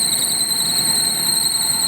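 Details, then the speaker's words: Maruti Eeco at idle, squeal starts when AC is switched on and continues after AC off once the belt slips: loud piercing steady high-pitched squeal; loose alternator belt slipping. "ये continue रहेगी क्यों क्योंकि इसकी आवाज जो है वो आ गई है एक बार जो बैट हिल गई तो हिल गई"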